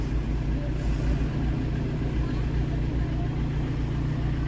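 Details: Chevrolet Sail after ECU repair, which had caused no start and no acceleration: steady, even low idle hum with no knocks, misses or hunting, and no trouble codes; idling normally.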